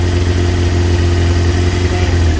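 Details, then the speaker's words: Kawasaki ZX6R J2 four-cylinder after carb rebuild with new main jets and needle clip change, sync screws possibly over-turned: loud, uneven lumpy idle; carbs 1-2 and 3-4 well out of sync. "So right, start her up. That is well out. Maybe I twisted it a little bit too much."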